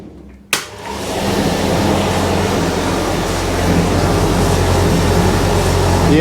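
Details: Indesit IDV75 tumble dryer test-run with cover off, after replacing the failed rear drum bearing that caused banging and knocking: a steady, even hum with a soft rotation rhythm about four a second, no knocking or scraping.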